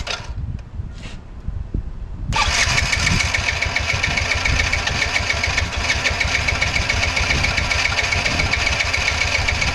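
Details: Yamaha motorcycle, exhaust muffler recently patched with JB Weld and heat-resistant paint, started outside to check the motor: fast, buzzy idle with an uneven, hunting beat; unstable idle, cause still undiagnosed.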